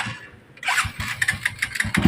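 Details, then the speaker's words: Honda Supremo 150 motorcycle that a shop quoted an expensive repair for: catches and idles with a rough, regular knocking, scraping clatter deep in the crankcase; worn crankshaft main bearing. "Para siyang may yung bang napaltik siya tapos iba yung tunog. You know, may nalabas po na kakaiba, ramdam."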